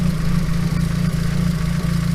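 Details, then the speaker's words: Nissan S14 240SX with freshly installed SR20DET, first start-up: fast buzzy rattle over steady idle, pulsing with firing, stops when hood is held; owner notes timing may need checking. "Yeah, so other than my hood rattling like freaking crazy,"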